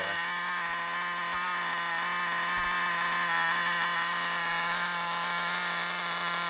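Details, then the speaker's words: Used FTX Carnage nitro RC car after failure: very high raspy buzz at steady speed with hissy edge, sounds off; large exhaust leak at top of manifold, finger over exhaust changed nothing; exhaust to be resealed. "So we've got quite a large exhaust leak at the top of that manifold there. So that's that problem. That's the reason why that's doing that."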